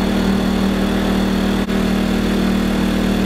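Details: Wen 2000-watt inverter generator, new out of the box and on first run while burning off a slight smell, powering camper lights and fan: smooth, steady engine hum with a constant low drone, no hunting or knocks; runs cleanly.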